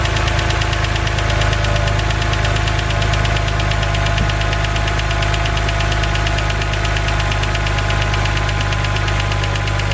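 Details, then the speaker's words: BMW 130i with N52 engine at idle, bonnet open: steady idle with fast light ticking over the engine note, unchanged through the clip; the known N52 tick, said harmless. "so as you guys heard that is the infamous BMW n52 ticking noise now I just want to say that this noise is not harmful to your engine in any way"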